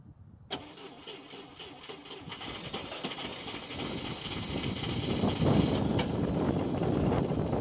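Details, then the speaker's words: International Scout 80 (1963–65), sat over 10 years: first proper start after vacuum caps fitted and carburetor float bowl filled, fuel fed by hand bulb bypassing the pump; catches after a short crank into a steady, even idle, 45–50 psi oil pressure, motor sounds good. "Woo. Dude, the motor sounds awesome. It's got 45 pounds of oil pressure."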